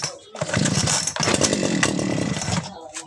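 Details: Two-stroke 411 brush cutter, stored about a year and would not start, after carb cleaning, spark plug check and fresh fuel: catches and runs on with a steady, high, raspy buzz at even pitch; healthy normal running.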